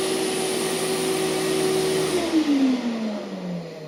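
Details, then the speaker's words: Hoover TurboPower 5000 vacuum from 2003, carbon brushes thought to have maybe 25–30% life: steady motor hum, then pitch slides smoothly down after switch-off with no scraping or rattle, a normal wind-down. "that's the wine down so I wanted you to hear that that's actually normal for those of you that are wondering"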